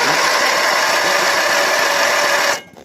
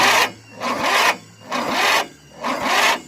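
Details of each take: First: Briggs 12.5 hp side-valve engine with spark and fuel present: fast even starter whirr with barely any compression beat, never fires. Low compression from tight intake valve clearance; valve lash adjustment is the fix. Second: Briggs 12.5 hp engine after valve clearance adjustment (valves shortened about 0.2 mm), previously weak compression and no start: starter slows and labours on each compression stroke, about once a second; normal strong cranking compression.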